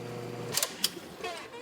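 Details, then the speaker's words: Hot tub with pumps and jet pump running; touching the heater element connection trips the GFCI breaker instantly: steady pump hum cuts out with a sharp click, then handling clicks; leaking heater element is bad and gets replaced. "you hear it it tripped the breaker immediately so this heater is bad"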